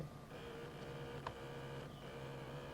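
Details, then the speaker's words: Used camcorder bought on eBay, powered on: faint steady whirr and small motor ticks from inside while the lens never zooms or focuses; zoom and autofocus not working, lens drive fault. "i can hear everything kind of whirring on the inside which is uh weird that's the focus"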